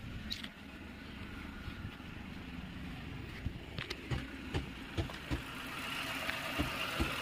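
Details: Renault Kwid after repair: it had stalled while driving and cranked without starting because oil on the spark plug tops shorted the plug coil. Now a soft, steady idle with no stumble or misfire, only a few light clicks.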